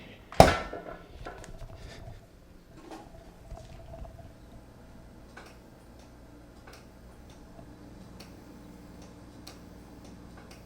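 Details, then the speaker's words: Frigidaire refrigerator ice maker water valve triggered with connectors swapped: a sharp click then faint scattered ticks and no hiss of running water; the valve opens but no water comes up, owner suspects a clog. "So okay, so there's no water coming up, so there must be some kind of a clog. I can hear the valve opening."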